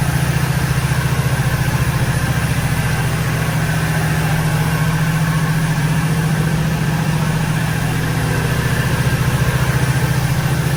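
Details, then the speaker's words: 1986 Oldsmobile Cutlass 442 G-body V8 after exhaust leak repair; smooth, even idle with steady low burble, no ticking or puffing; normal idle. "all right now you can hear how quiet it is it's a lot smoother now see i put my arkansas plates the market's outplays now listen to the engine and sound like a little sewing machine"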